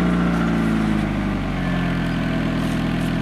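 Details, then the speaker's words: 1995 Honda Accord 2.0 petrol automatic, cold start after sitting a while at about 25°C ambient: starts instantly and runs smooth and steady with no misses, knocks or belt squeal. A healthy engine. "ça démarre tout le temps au quart de tour, il n'y a rien à faire, quoi."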